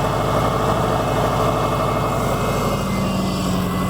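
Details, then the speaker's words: Subaru Forester with new coil, new plugs, old wires, original idle air control: steady even idle with low smooth rumble, no misses or stumbles; normal idle. "So, that's the engine. New coil, new plugs, old wires, but they're good."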